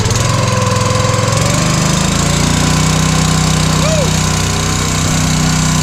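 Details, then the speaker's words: Log splitter with new Honda GX200 196cc engine replacing a Kohler, first start, choke on, throttle mid: choked lumpy patter settles into steady even mid-throttle drone; runs healthy. "Let's see if it starts. Oh, I love a Honda. Look at that."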